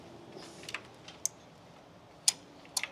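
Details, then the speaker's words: John Deere 455 diesel mower that won't start, no voltage at test point: sharp crisp clicks as the key is turned to start, the start relay clicking normally. "I can hear it clicking so I know the relay is clicking"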